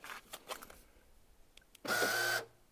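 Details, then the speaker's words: Porsche Boxster 986 central locking control unit area, battery reconnected, bonnet, boot and fuel flap releases not working; a few clicks then a loud half-second whine rising in pitch on unlocking, suspected motor actuator, possibly the fuel flap: whining on unlocking. "we unlock it again now that horrible whining noise was constant"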